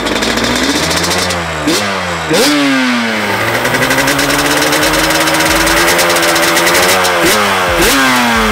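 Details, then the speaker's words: Restored 1989 Yamaha Banshee two-stroke with FMF pipes, first run after a wire harness swap fixed no-spark (possible slight coolant leak): crisp ringing note snaps up on sharp throttle blips, settles to steady idle; healthy. "So she sounds good, y'all. That was the first thought y'all just saw."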